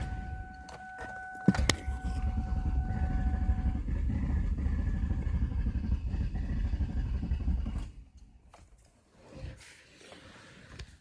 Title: Car won't start